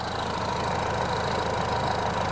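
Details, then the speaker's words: Peugeot 308 GTi (Prince engine) at idle after replacing the rubberized water pump pulley that caused a fast jittery noise: quiet, even idle with a soft steady hum, no rattle or tinny chatter from the pump drive; runs clean. "all looks well. It's actually engaged, it's super quiet."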